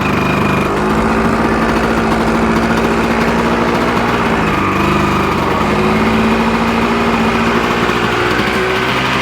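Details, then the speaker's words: Original 1986 Yamaha Tri-Z 250 two-stroke, warm: a steady, fast buzzing idle that never settles lower; idle set too high. The owner suspects the mixture screw is too far out or the idle needs turning down. "You hear it kind of running high like that. Let's grab. As long as it doesn't run away a little high. Could be a mixture screw thing."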